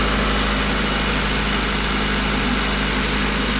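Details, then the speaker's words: 1992 Honda Accord warming up, thermostat not yet open, after cleaning idle air control valve with carb cleaner: smooth, even idle at constant speed, no hunting or surging; high idle but consistent. "hi idle but at least it's consistent of course that didn't open yet so"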